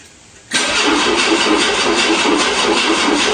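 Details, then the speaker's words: 1984 Dodge 600 ES turbo convertible, stored over 20 years: cranks freely in a quick even rhythm but never fires, low fuel light on; old or no gas suspected, fuel supply problem unconfirmed. "I can only imagine that gas is no good. I don't know when the last time was gas was put in it or if there was gas in it."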